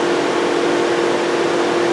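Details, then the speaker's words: 2007 VW Jetta 2.5L with crank-no-start, key on, engine off: constant loud rush of cooling fans stuck on high, with no check engine light. The scan tool shows no ECM communication, and all modules log network faults. "so basically that's where I'm at with this car no communication fans running all the time no check engine light"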